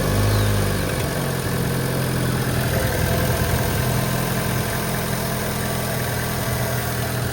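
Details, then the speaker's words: Vauxhall Astra 1.4 Turbo that sat for quite a while with a new clutch and flywheel, just fitted with a new battery; low idle after startup with an uneven, slightly stumbling beat; owner suspects a small misfire, cause not confirmed; rough idle. "sounds a little bit rough but the engine sounds really good sounds like it's got a little misfire though sounds like a little misfire but it has been sat for quite a while"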